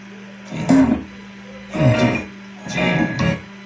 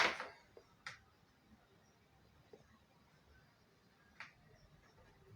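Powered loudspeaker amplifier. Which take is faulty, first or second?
second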